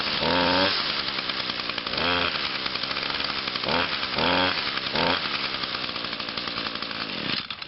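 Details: Echo PB251 blower cold start right after a tune-up (new air filter, fuel filter, spark plug), on choke and primed: a few rattling cord pulls, catches on third pull, holds fast steady buzz over wind; normal running.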